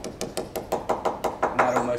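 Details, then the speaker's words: Tap test with hammer on fiberglass yacht hull with thick gel coat: taps about six per second go dull and hollow, fiberglass reverberating against the gel coat layer as a secondary reverberation; delaminated patch below the tape. "now you can hear here the fiberglass reverberating against the Jael coat layer inside it's like a secondary reverberation when it gets worse down to here"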